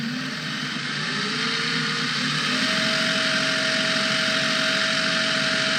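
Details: Prometheus blaster with Sunny Sky 2216 2600kV brushless motors, 11.1V in boosted to 16V, running unloaded at max 1.5 amps: smooth steady high whir stepping up once then holding even, no rattle; everything working well.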